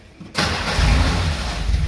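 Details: Long-stored classic car from a warehouse, cranked on a jumper battery while starting fluid is sprayed in. The starter churns with a low, even rumble but no firing beat takes over; cranks but no start.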